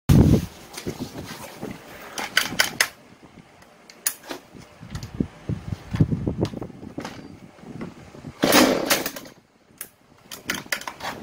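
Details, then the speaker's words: Husqvarna 435 chainsaw starts and runs about three seconds, then cuts out instead of holding idle; also dies at high throttle, from a simple cause; afterward plug replaced, fuel filter and line flushed, carburetor rpm adjusted. "Tuy nhiên, chế độ chạy không tải không được duy trì và đánh lửa bị tắt khi công tắc được vận hành."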